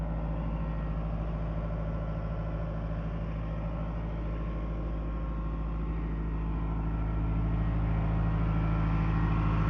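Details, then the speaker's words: Late-1980s Caterpillar 943 track loader diesel idling while warming up; steady, deep rumble with an even beat, no knocks or misses throughout; normal healthy warm-up idle. "Kind of just do some more walk around while we're waiting on it to warm up."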